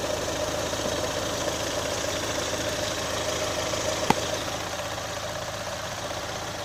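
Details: 2018 Chevrolet Onix LT 1.0, bought under 3 months ago, steady idle with fast light ticking clatter about three per second; abnormal noise, owner links it to GM's quiet intake valve and lock replacement, unconfirmed.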